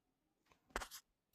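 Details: LG OLED 77-inch G5 TV while switched on: a faint tick, then a sharp dry crack, then one last tiny click in a quiet room.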